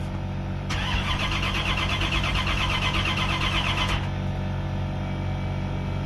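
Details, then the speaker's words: Chevrolet Caprice Classic with swapped LT1 V8, cold outside, which ran poorly and now won't start: fuel pump heard priming then cutting off, starter churns fast and steady for about three seconds but the engine never fires; cranks without starting. "I hear the fuel pump come on. Then it'll cut off."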